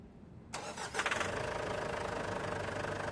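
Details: Ford Everest diesel that reportedly wouldn't start (owner suspected alternator not charging; diagnosis pointed to a possibly loose battery terminal), restarted after switch-off: quick crank, catches within half a second, then a steady, even diesel idle; normal start and idle.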